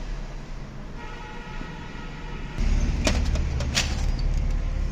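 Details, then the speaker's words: Brother DCP-L2541 laser printer running after the faulty duplex tray, whose worn gears caused the noise at power-on, was removed: low soft motor hum with light feed clicks, no gear grinding or rattle, now smooth and quiet. "आवाज़ बिल्कुल बंद हो चुकी है। फिर एक बार रिपीट करता हूँ। ये देखिए गियर की बिल्कुल आवाज़ नहीं आ रही। अब स्मूथ चल रहा है हमारा प्रिंटर।"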